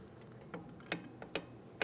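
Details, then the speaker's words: 2003–2008 Toyota Matrix rear drum brake, drum off, adjuster lever held away while star wheel is turned with a flathead screwdriver: four crisp separate clicks in about two seconds; adjuster ratcheting normally. "As I'm holding that away from my adjustment cog, I can continue on with my small pry bar or flathead screwdriver, and I'm going to make my adjustment for those shoes."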